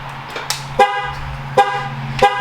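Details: ZR1 look-alike Corvette just out of winter storage: three sharp horn chirps about two-thirds of a second apart, clean and strong. The key fob works again after its battery, which had been fitted upside down, was corrected.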